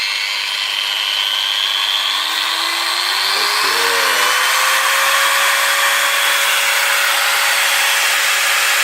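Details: Makita 9565CVR 1400W 125 mm variable-speed angle grinder after a new armature and reinstalled carbon brushes, run at lowest speed: a smooth, rising whine settling into an even high-pitched run with no sparking at the commutator; the armature was the fault.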